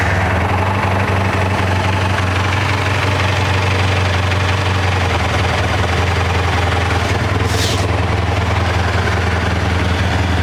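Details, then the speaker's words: 1984 Honda VF500F Interceptor, carburetors revived and valves adjusted, running more than it has in a couple of years, fuel leak now stopped, cold on choke before warm-up: steady, even idle with smooth low burble, no misses or knocks; normal idle. "drip fre so far probably the most that's run in a couple years"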